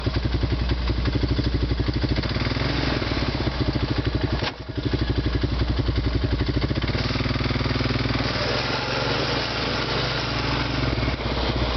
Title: Honda Rancher Grinding Sound